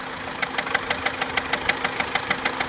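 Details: Opel Corsa C Exclusiv at idle: sharp, even metallic tapping about five or six times a second over a steady idle; engine tapping/rattling, later fixed, cause not stated.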